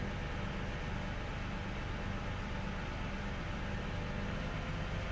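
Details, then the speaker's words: 2011 Toyota Sienna AWD at normal cold-start idle, a steady, even low hum with no whine; the rear differential whine only appears when accelerating. "this is a sound of just normal cold start okay now I'm gonna put it in gear soundless little normal"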